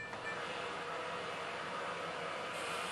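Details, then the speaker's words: Samsung WF0508NZW washer after a temporary repair of the worn thermal door lock (error dE, door wouldn't lock): door now locks and water fills, a steady rushing hiss without clunks or clicking. Normal water fill. "Lâu đài đã bị đóng cửa và nước đang tụ lại. Vì vậy, tôi đã có thể sửa chữa khóa máy giặt không muốn đóng."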